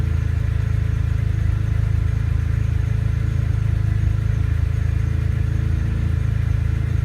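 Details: S54-swapped BMW E30 M3 after fixing an ungrounded fuel pump relay that caused lean stalling: steady, even low rumble with no stumble or hunting; it keeps running at idle.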